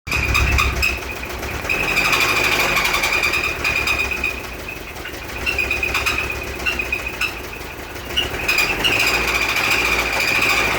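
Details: Toyota MK1 MR2 petrol, first start in over a year, idling: rapid steady knock about three to four a second under a loud high squeal that is not from the belt.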